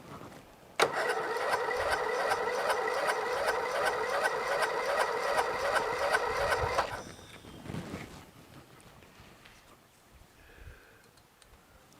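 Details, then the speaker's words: Briggs & Stratton 13.5 hp flathead lawn tractor engine after a mouse nest was cleared and the ring gear lubricated: starter turns slowly, about two to three beats a second, never catching. Sluggish cranking. "doesn't crank very fast you know let's try a little bit of spray again I doubt this work because this is all jammed full of crap now from the blowing"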